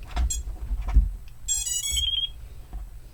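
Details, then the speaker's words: Radio transmitter set to D16 mode, channels 1–8, chirping normally in bind mode with a run of bright chirps, then a warbling tone, while binding the XM+ receiver on an Eachine Tyro109 quad build. "go ahead and press the bind button and you'll hear start to chirp once your radio is chirping go ahead and reach in here with your bamboo skewer push down your gold bind button"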